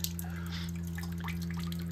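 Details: Outdoor unit of an inverter mini-split heat pump in Massachusetts, heating on a humid rainy/snowy day: steady low hum with irregular drips and trickling water as large amounts of condensate drain off after a defrost cycle; normal.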